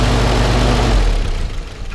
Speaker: so um you can see here it just runs really really smooth and runs like a little sewing machine and uh sounds real nice no exhaust leaks or anything like that